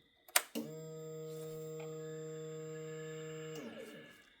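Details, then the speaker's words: Yamaha R6 no-start diagnosis, new fuel pump plugged in with key cycled and no fuel in the tank: a click then a steady electric hum for about three seconds that stops cleanly; pump primes normally. "It should prime for a couple seconds. Haha. Yes, sir. You hear that? That was the pump priming."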